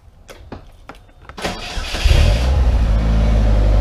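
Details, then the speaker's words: Polaris Slingshot cranked on a weak battery reading 11.7 V that is not holding charge well: brisk, even cranking about a second and a half, then catches into steady idle; alternator then charging at 13.7 V. "I'm going to crank it up with the eleven point seven volt and we're going to see how long it takes to crank and it should be about within a second and a half to two seconds"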